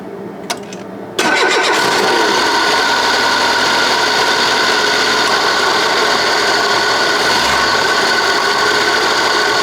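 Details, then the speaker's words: Citroën BX hydraulic pump for suspension and brakes making a loud, gritty, grinding whir as the engine catches and settles to idle; bearing-like noise, pump still working but may fail, to be replaced with a used pump. "It's working just fine, but it sounds really bad bearing like uh it probably won't make any issues, but it could of course lead to a failure of the pump. But the main thing is that the noise is really annoying."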